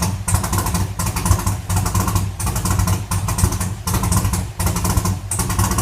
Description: 2014 2SS L99 Camaro "GhoSSt" first start with stage 4 VVT cam, literally misfiring on four cylinders.